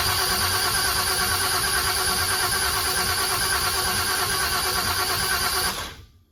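Starter cranks evenly at about three beats a second for six seconds without catching; injector harnesses were swapped between the banks.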